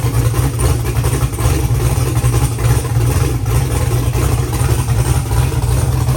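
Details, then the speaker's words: First start after a valve-train repair, with fresh oil added: steady, even low rumble at idle with no knocks or misses. The engine idles smoothly and sounds healthy. "Sounds good. Sounds like it actually works."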